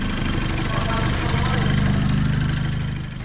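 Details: Seat Leon Cupra 2.0 TFSI after fixing cylinder 1 misfire (P0301), warming up: smooth, even petrol idle with steady low hum, no stumble or skipped beats; normal idle.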